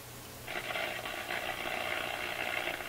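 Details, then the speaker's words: Marconi 201A AM/shortwave radio during I-F and front-end alignment, antenna connected to a signal generator, nothing tuned in: a steady hissy rushing noise rises in the speaker along with an unexplained DC voltage, radio audible quietly underneath; cause unknown. "I got a DC voltage rising for no good reason here I can hear the radio quiet under it"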